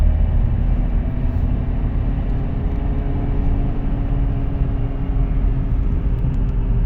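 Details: Audi A4 B8 Avant under way: a steady low droning rumble with constant road roar and no rhythm. A worn wheel bearing, replaced with an FAG wheel bearing repair set.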